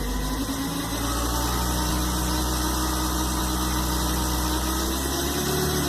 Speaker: Este ruido podría ser desde la bomba de la transmisión el bushing que se ubica en el convertidor par justo a la salida que esté desgastado, o un aceite espumoso derivado de un aceite viejo o un aceite que ha sido sobrecalentado.